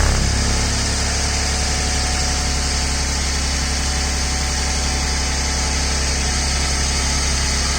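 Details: Ford/Lincoln at idle with a raspy puffing hiss over the engine note, louder when cold, exhaust smell inside the car; owner suspects an exhaust leak, dealer found no problem, calling it a condensate drain.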